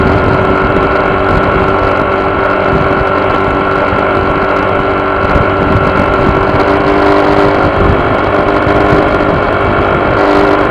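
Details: Honda PCX scooter running with a steady, even buzz over the engine note, a vibration somewhere in the body; source not pinned down.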